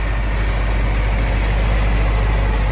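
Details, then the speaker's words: 1965 International Scout 80, not run in over 10 years, driving on a cold day with choke barely on: steady, even low rumble with no knocks, misses or ticks, no smoke at startup; engine running smoothly and healthy. "engine sounds really good i didn't smoke at all when it started up we checked all the oil"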